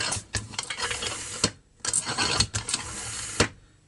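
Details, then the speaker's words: Grass trimmer crankcase pressurized by hand pump through an adapter in the spark plug hole. Airy hissing bursts with sharp clicks come from the small crankshaft seal on the starter side: a damaged or dislodged seal causing a crankcase air leak. "отчетливо слышу шипение вот отсюда со стороны малого сальника со стороны стартера"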